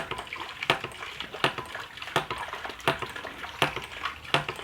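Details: Homemade hydraulic ram pump with two valves on about half a metre of head, filter removed: sharp watery clack about every 0.7 seconds with small splashes, steady valve beat; cycling properly.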